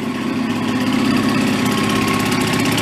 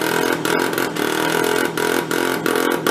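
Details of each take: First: Benelli Andretti M50 two-stroke scooter, 500 miles, long stored non-running, after reassembly, carb idle unadjusted: steady, even idle with quick regular beat, no misses, knocks or surging; running smoothly. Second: Benelli Andretti Z50 two-stroke scooter with about 500 miles, long stored non-running, with exhaust flange leak and air cleaner partly off: buzzy note stutters and drops out, won't take throttle; rough running, engine loaded up with oil.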